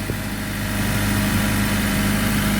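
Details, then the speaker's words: 2000 Honda Civic with the rusted resonator (B) pipe temporarily held up with duct tape and coat hanger before replacement: steady even idle, smooth low drone, no puffing or ticking; no exhaust leak heard, normal idle. "let me start it off just to see how it sounds might might still make a little noise what exhaust leak I don't hear"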